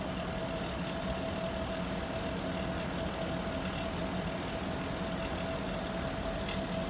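Steady low hum with a sustained mid-pitched tone riding over the fan noise; the outdoor unit sounds off, but the cause is unclear.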